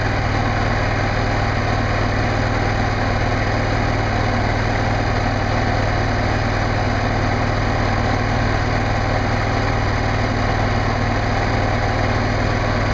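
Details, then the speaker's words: Generac NP-52G RV generator at 490.1 hours, started right after an oil and filter change. It fires up easily and settles into a steady, even drone with no misses or knocks. Normal running. "Yeah, it fires up really easily and it sounds really good running."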